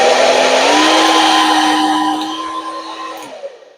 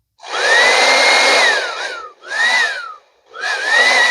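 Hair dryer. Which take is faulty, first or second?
second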